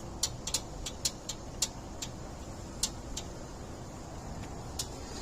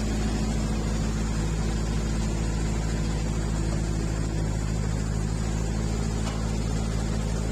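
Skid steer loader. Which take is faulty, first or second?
first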